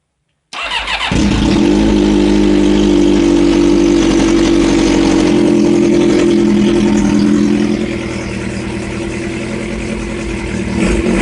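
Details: Kawasaki ZX7R inline-four, first start after a fresh rebuild; the no-spark fault was a new ignition switch missing the 100 ohm resistor on the grey wire. Catches after a short crank, settles into a steady high idle, smooth revs, no knocks or misfires; owner unsure whether timing is off.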